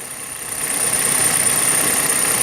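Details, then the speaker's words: Kia/Hyundai petrol engine idling with a light, fast chattering tick on top: normal fuel injector noise, easily mistaken for lifters or timing chain, not a fault. "Вот, например, на некоторых Kia Hyundai форсунки у нас стучат. Ну вот, если прислушаться, есть небольшое строкота стрекотание у нас форсуночек."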